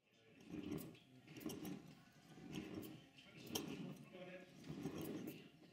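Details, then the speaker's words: Model steam locomotive with Walschaerts valve gear reassembled (one link pin replaced), oiled and pushed along a track in a noisy workshop: soft, even chuffs about once a second, breathing cleanly and evenly. "Steam Workshop is quite a noisy places a lot going on at any given time but you can still hear that the engine is now making steam locomotive noises it seems to be breathing very nicely in this clip"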